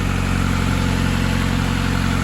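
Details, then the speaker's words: 1990–93 Honda Accord (CB7) idling smoothly with a steady even hum after an alternator replacement; no belt squeal on a rev, and the battery and ABS lights are now off. "Sounds like she's running smoothly. Give her a quick rev, make sure there's no belt squeal. Sounds good to me."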